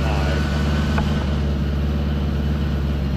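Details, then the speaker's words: 1975 Honda Gold Wing, 32,000 miles, new Dynatek electronic ignition and coils, warming up before carb sync; choke pushed fully in, almost no throttle cable play. Flat-four burbles at steady fast idle that won't settle. High idle, cause unconfirmed. "I wonder why it's idling so high I push the choke all the way in there's almost no play in the throttle cable"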